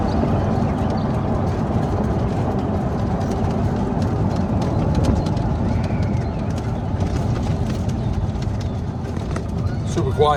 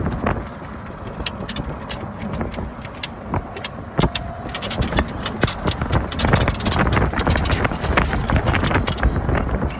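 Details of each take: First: Club Car Precedent golf cart with a Madjax triple track roof, after the squeak fix, driven over a bumpy road: only low road rumble and soft thuds, with no squeak or rattle; the fix worked. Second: Club Car Precedent golf cart with a Madjax triple track roof, riding over bumps: irregular creaks and sharp ticks about twice a second. The roof is squeaking at its riveted panels; the plan is to replace the rivets with machine screws.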